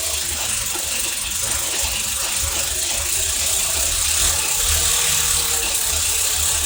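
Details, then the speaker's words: Third-gen IROC Camaro V8, first run after over a year of work, distributor flipped 180 degrees: idling with hissy uneven clicking rattle about two beats a second over exhaust drone; owner suspects partly exhaust, source unidentified. "It seems like it's running okay. It is a little noisy. Yeah. I got to figure out what that noise is, though. So some of that noise could be exhaust."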